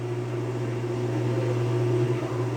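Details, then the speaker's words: Whirlpool washing machine in manual test mode, stepping through component functions: steady low electric hum with no grinding, rattling or labouring as the drain pump switches on; drain pump operating normally. "we still have no function there and we hear that the drain pump turned on"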